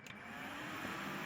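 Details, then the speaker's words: Desktop PC with no video and no beep, RAM removed to test: fans whoosh steadily but no POST beep sounds at power-on, though one is expected without memory. Cause not yet known. "i still don't have the beep okay so usually when you remove the ram out it's going to give you a beat"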